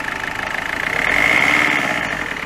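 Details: Peugeot 206 1.4 HDi diesel idling after full service, oil change and repairs for misfiring at 110–130 km/h and overheating: even idle, steady tone, no knocks or misses. Normal idle after repair.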